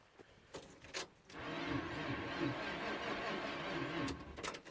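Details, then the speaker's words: Chevy Nova hot rod after sitting for a winter, with ether and carb fuel: a few clicks then about three seconds of sluggish, labored cranking that never starts; low battery, boost needed. "sounds pretty low drats all right let me put the better I'm boost anyway"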